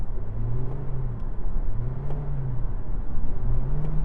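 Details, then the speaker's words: New Toyota Prius, 2.0L naturally aspirated four-cylinder with CVT, at full throttle while overtaking: the engine holds one steady mooing drone as speed builds, like revving while stationary; normal CVT behaviour. "I guess you get used to it after a while, but I just wish it didn't do that. It's the only thing. It's like you're revving it when it's stationary."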